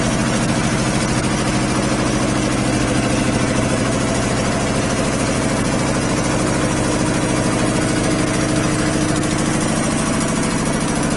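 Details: 25 hp air compressor on single-phase power, 120-gallon tank, about 80 CFM, unloading near 145–150 psi and cutting back in around 115: steady even pumping thump about three beats a second with constant drone, running healthy under load.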